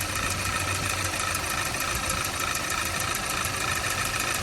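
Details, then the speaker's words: 2012 Audi A4 quattro 2.0T, 113,000 miles, flashing check engine light, power balance test: rough uneven idle about three pulses a second; unplugging cylinder 3 coil changes nothing while 2 and 4 make it worse, so cylinder 3 is dead. "i'm pretty sure i sneaked that one off enough and it's not making any kind of change i'm pretty sure it's cylinder number three"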